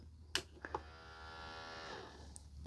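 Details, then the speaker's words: Panasonic Blu-ray or Lennox CD player, tray stuck: display says open and a faint thin motor whir runs about a second between small clicks but the tray never moves; motor works, belt suspected. "That's all we're getting from the tray. If we I think well it's saying open on the screen here and it's just trying and nothing's happening. So the motor's working. I would suspect it's just a belt."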